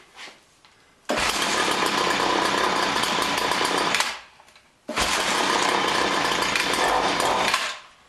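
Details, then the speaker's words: John Deere BC1600 trimmer (Homelite UT-15198 equivalent, Zama H46 C1U carb), sat for years: two rough raspy bursts of ~3 s, each catching then fading; won't keep running, carburetor cleaning suspected. "Huh. Well, it almost wants to go. I may just need to take that carburetor apart and give it a good cleaning."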